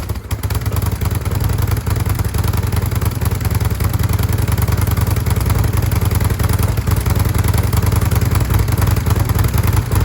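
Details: 2005 Kawasaki VN800C V-twin, about 130,000 km, just started after storage since about 2015: deep, lumpy, loping idle with some loose clatter settling into a steady beat; running fine.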